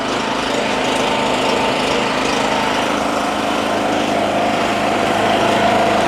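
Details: Honda-clone single-cylinder generator rated 2.2, started on choke on the second pull after 5+ years in a shed: steady, even buzz with no misses or knocks, running normally before a Ryobi load is plugged in.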